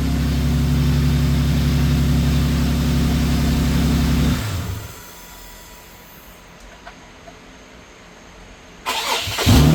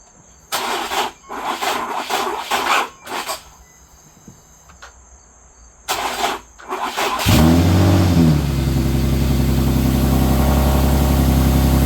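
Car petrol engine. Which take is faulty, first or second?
second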